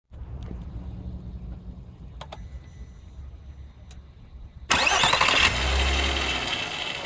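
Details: 2001 VW Bora V6 4motion: engine starts after brief cranking and settles into a fast idle with a faint rattle; owner asks about an engine noise problem, source unclear.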